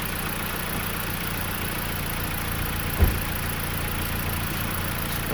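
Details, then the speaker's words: 2020 Dodge Journey, gasoline, owner thinks 2.4 engine, after spark plug replacement: steady, even low hum at idle with no misses or knocks, a couple of brief thumps; smooth healthy idle, no check engine light. "it's running very smooth. I don't have a check engine light."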